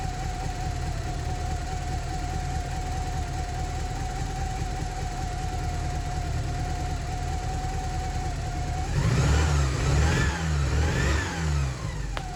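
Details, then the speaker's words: Porsche 944 engine after a cambelt change, with injectors suspected dirty: lumpy, uneven idle with a thin steady whistle and rough throttle blips. Owner hopes revving cleans the injectors. Suspected misfire. "Still not sounding perfect, but hopefully a little rev will help clean all those injectors."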